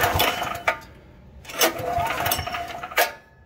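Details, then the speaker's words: Troy-Bilt XP 10,500 W generator, model 030477, Briggs & Stratton 2100 series engine: three pull-start bursts that never fire; bad old gas with debris suspected to have gummed the carburetor, later cleaned/replaced with tank and line flush. "So if I had to guess here, we're looking at a carburetor issue with this thing. We tried to start it here, couldn't get it to start up."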